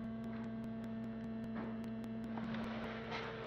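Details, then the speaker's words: 2013 Fiat 500 Abarth after-run electric coolant pump that had stopped running because the ECU wasn't sending the relay ground. Powered via added relays by grounding the wire, it gives a steady low hum and even whir, no grinding, running normally. "can hear it or not but that makes the pump run and that's what I'm after"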